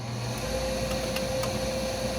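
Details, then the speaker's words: Gas furnace inducer motor after fixing a pressure-switch fault (three-blink code): steady, clear motor hum with no rattle; it runs properly and the burners then ignite. "louder no three blinks continues blink which means is calling for he and do some other sounds much better"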